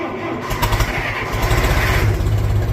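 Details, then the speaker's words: Gas-powered (not diesel) old International tractor cold start in snow, carb tuned, in neutral, choke pulled: catches almost at once, settles to steady even low chug with no misses; normal cold start and idle. "but if you didn't know anything about these old tractors is they start up pretty well in the cold as long as you got a lick of Common Sense and tune the carb right"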